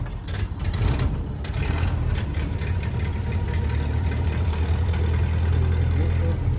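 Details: 1930 Ford Model A barn find with a used spare motor just installed: first start with the choke out catches after a brief crank and settles into a slow, even, low rumble; healthy start and idle.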